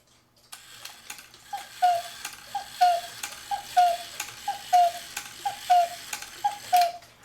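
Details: 1940s Hubert Herr Black Forest cuckoo clock with rebuilt Tyvek bellows, rod adjusted so the bellows don't open too far: about seven clear two-note cuckoo calls, roughly one a second, even in pitch and strength; bellows working properly.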